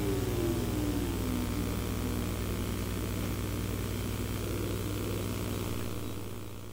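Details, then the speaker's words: ProScan PRO998LH Hi8 camcorder from 1998, zoom driven by remote control: even low whirring hum with fine rapid ticking that holds steady then fades. The zoom motor runs normally. "Now I'll be quiet while zooming in and out, so you can hear the wonderful noise this zoom motor makes."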